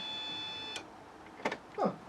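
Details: Fiat Panda 4x4 project during injector testing: thin high-pitched electric hum for under a second after key-on, then it stops, the fuel pump priming normally; injector power appears to come on with the fuel pump.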